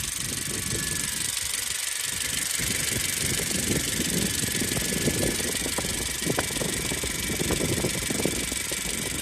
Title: my 2017 Honda CRV makes this noise, please is it normal?